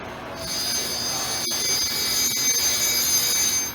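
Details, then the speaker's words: Surface grinder wheel after installation, ring test, dressing and truing: a clear high ring holding a constant pitch with no chatter or scraping, the normal sound of a wheel running true and well dressed. "now you're hearing the ring see how it's constant do you hear the constant that's what you want to hear"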